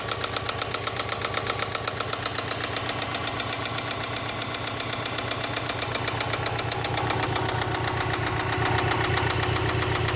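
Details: Subaru EJ206 engine running evenly at idle: sharp regular knocking at roughly two and a half per second, getting slightly louder toward the end; deep engine knock, source not identified.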